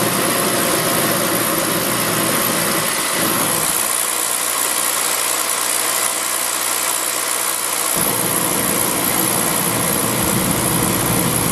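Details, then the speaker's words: Beckett oil burner, pump about 140 psi. The supply is cut back to simulate a restricted oil line, and vacuum rises much higher. The steady roar drops out for seconds, then relights, the flame cycling on and off. Restricted supply line. "there that's that's what a restricted line is going to look like watch fire on off on off like that it's going to be a restricted line so when you got a restrict the line your vacuum will go up a lot higher obviously yeah"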